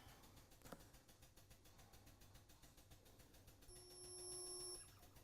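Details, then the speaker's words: Wielander & Schill InvertaSpot GT automatic spot welder on a triple-panel weld, automatically on program 3: steady high tone just over a second, longer than the double-panel weld, then a clean stop; normal weld cycle. "can hear it weld a little bit longer. The weld looks a little bit bigger."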